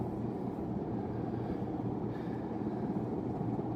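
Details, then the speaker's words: Unknown-brand 42-inch hugger ceiling fan from 1991, newly installed: steady, even low hum with no knocking or rubbing. An earlier noise went away with the light on; only a slight wobble. "Put that light on, that noise went away. Isn't that something? Has a little bit of a wobble to it, but it's not bad."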